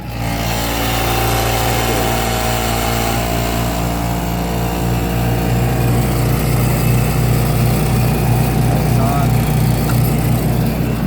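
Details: Refrigeration case after fixing a no-power electrical fault with a new outlet, 120 V restored: steady low hum, even fan whir and constant tone with no clicking or cycling; running normally.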